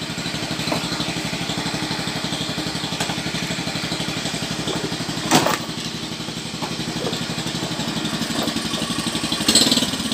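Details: Carburetted Honda Beat scooter that had badly cut out ("ngepos"), after carburettor air screw adjustment. Quick, even firing at idle with two clean throttle blips; revs pick up and drop back smoothly with no bogging, judged quite good.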